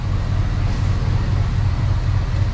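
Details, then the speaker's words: 1994 Chevy Silverado 1500 V8 with a rebuilt throttle body, revved on first start after 10+ years sitting: deep, even burble with steady firing pulses, no knocking or ticking; engine sounds healthy despite known vacuum leaks. "let's give her let's give her a little bit of the beans i haven't heard this truck run in 20 plus years and no knocking no nothing"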